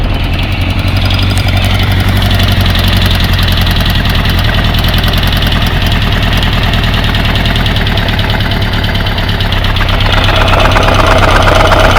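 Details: Kawasaki GPZ550 four-cylinder idling after head gasket replacement with rocker timing reset; steady clacking tick about four a second over the exhaust; cam chain is tight, owner doubts the tensioner, cause unknown.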